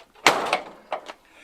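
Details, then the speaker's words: 1979-93 Ford Mustang Fox-body door closing on 5.0 Resto door-to-body weatherstripping that has been on for six years and never softened or conformed. One heavy slam with a latch rattle, then a second thud. The stiff seal means the door needs a hard slam. "the problem here is is we're throwing the door we're literally just Wham and even though that weather stripping was on there it was 5.0 Resto stripping uh even though it was on there for about six years it never actually conformed it never got soft"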